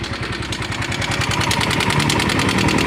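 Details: Yamaha Mio M3 scooter that sounds rough and lacks power: fast, even tapping about three and a half per second over a rough idle; found to be excessive valve clearance.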